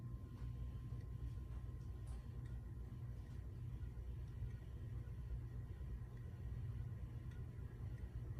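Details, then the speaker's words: Old Minka Aire Napoli ceiling fan, once fixed for noise issues, heard starting up and running at high speed: a very soft, steady low hum with no ticking, rubbing or wobble, quiet and smooth. "It's a soft sounding fan. I mean, very, very soft sounding."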